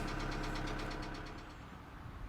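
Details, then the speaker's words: 2008 Kia Sedona 2.9 CRDi diesel (J3), P0016 crank/cam correlation code: heavy, regular knock over the idle clatter, fading slightly as revs settle; cause not yet known. "i'll actually let you hear the engine that's a bad knock anyway put that off at the moment"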